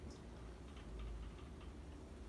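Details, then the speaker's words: Dynasty Hugger 52-inch ceiling fan from January 1988 on high; steady fan hum with light irregular ticking from the housing, not the blades; owner suspects the hex bolts locking the motor to the mounting bracket; rattle at high speed. "And you know, actually, what I think it is there's those two like hexagon type bolts that lock the fan motor to the mounting bracket. I think that it just might be rattling against that."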